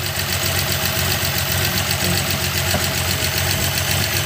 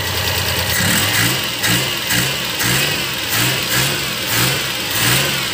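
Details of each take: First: Suzuki Multicab F6A 12-valve three-cylinder engine, after the blocked carburetor fuel return line was cleared, idles with a fast, even patter at steady speed and no stumbling. The fix was for a hard-starting problem. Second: Suzuki Multicab F6A 12-valve engine running with carburetor fuel return line blocked, no fuel coming back to tank: engine surges and sags roughly every second instead of holding steady, flooding and about to die; fix is cleaning the return.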